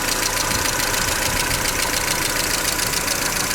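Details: Mercedes Vito W638 with M111 2.3L petrol engine, idling: busy idle with a sharp, fairly regular ticking knock about two per second; engine knock of unconfirmed cause.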